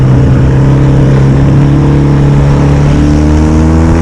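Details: Yamaha XS650 twin on a spring test ride after carb manifold replacement and air pod setup, with the air leak believed to have caused the left-side popping now fixed: a strong, even drone climbs cleanly through the gears with no popping or misfire, running normally.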